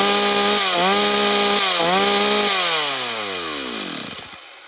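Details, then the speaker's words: Stihl 026 chainsaw at full throttle during carburettor adjustment: note wavers and stutters near the top instead of screaming clean, could rev higher; high-speed mixture too rich, fix by turning H screw in 1/8 turn. "Là, vous avez entendu, elle tourne correctement, mais on sent qu'à la fin, ça tourne pas très rond. Elle pourrait encore monter un peu plus dans les tours. C'est-à-dire que là, elle a trop d'essence."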